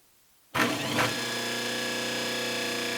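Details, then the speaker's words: 1 hp repulsion-induction motor, 1725 rpm, 110/220 V, from a 1937–1941 Delta 1160 table saw, after commutator refurbish and new bearings, brush angle adjusted: starts at once, comes right up to speed with a steady clean hum. "starts much faster much better comes right up to speed that's how it ought to be not not that slow start"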